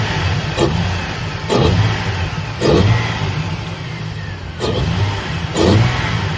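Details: Petrol engine snapped from idle five times, running rough and uneven with a cylinder 1 misfire from no fuel.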